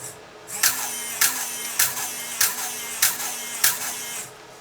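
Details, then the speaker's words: Nikon L35AF with stuck shutter and no power, after checking continuity in the shutter button: crisp shutter snaps about every 0.6 s, each followed by a short motor whir, looping nonstop; camera stuck shooting continuously, cause unconfirmed. "it's always shooting continuously now that's another problem that we need to solve"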